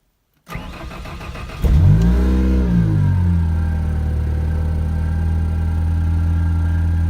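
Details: Ranger swapped with a Ford 2.0 EcoBoost, cold start after carbon-cleaning intake valves and an oil change, previously misfiring, stalling with P0507: cranks, catches cleanly, flares and settles to smooth even idle; normal cold start.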